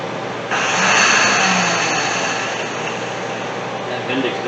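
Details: 1983 Datsun 280ZX cranked via jumper cables and screwdriver on the starter: starter spins freely with a rising whir and no cranking; drive gear not engaging the flywheel, starter suspected bad, loose bottom wire found.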